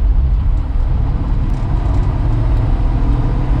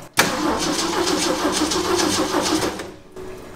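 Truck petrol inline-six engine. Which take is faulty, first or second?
second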